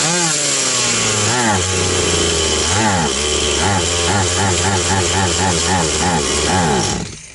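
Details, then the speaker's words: Stihl 180 (MS180) chainsaw after piston and crankshaft seal replacement, throttle linkage just redone: high two-stroke revs pulse up and down unevenly; owner suspects something got in and carburetor still needs disassembly, cause unconfirmed. "Не знаю, щось попало. Напевно. Треба ще карбюратор розібрати, бо я лінтяй не хотів розібрати його."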